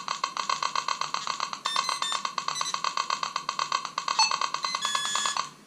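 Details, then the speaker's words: Chirping electromagnetic interference, fast sharp electronic chirps about four a second, heard in a Nokta Makro Simplex+ metal detector (12 kHz) when a nearby Whites TRX pinpointer is switched on; it goes away when the pinpointer is off. "You hear that chirping? That's electromagnetic interference. 12 kilohertz, 12 kilohertz."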